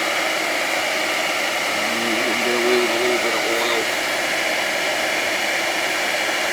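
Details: 20-year-old house, gas boiler power venter outside, about 9°F: a steady, even blower rush with no squeal or rattle heard right now; the reported rattling is absent, and the motor may just need some oil (suspected, not confirmed).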